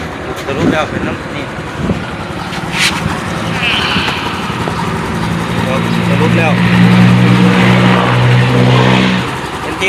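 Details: Honda Wave 110i engine after repair of a howling noise traced to a faulty camshaft bearing, reassembled: revs up and settles evenly with a clean exhaust note, no howl or whine rising with speed; sounds healthy.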